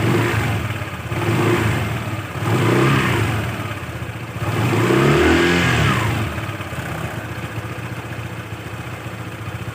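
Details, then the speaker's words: Honda PCX160 scooter after CVT service (roller housing cleaned, dust brushed and blown out with compressor), previously knocking/growling on throttle: blipped revs now rise and fall smoothly, quiet CVT with no knock. "Alhamdulillah sekarang udah adem kembali ya udah cenderung Hening ya tidak seperti sebelum-sebelumnya"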